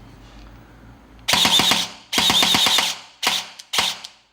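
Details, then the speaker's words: Guarder AKM airsoft rebuild, replaced gearbox, SP120 spring and AOE buffer, firing on full auto: crisp bursts of sharp snaps around ten per second, evenly spaced; gearbox cycles properly, not built for high rate. "As long as the zipping sound isn't louder than the popping sound made by the piston and the motor, it's actually fine. So we'll do full auto."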